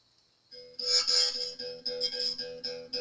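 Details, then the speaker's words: Epiphone Les Paul during fret leveling, checking with a feeler gauge: repeated plucks give a thin, bright buzz and rattle just starting at 0.023 in, so the fret is lowered enough and work stops there. "It's just starting to buzz on my feeler gauge. Stumac will tell you go to 24 thousandths. I'm going to stop right there. It's just starting to buzz and rattle on the 23 thousandths."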